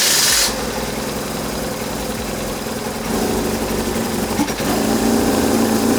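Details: BMW R1150GS boxer engine after a no-start, first firing after a fix, hand on exhaust: short burst then even beat about four a second settling into steady idle; starts and runs fine.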